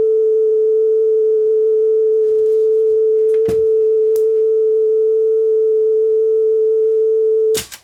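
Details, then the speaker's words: Marantz 5030 three-head cassette deck after speed adjustment, playing test tone: slight waver in pitch, tape speed drifting; owner suspects the motor or its speed control. "Oh, that sounds like it's changing. Actually, motor might be [Music] shot. Oh, yeah. Um, I think we got a problem with the motor here."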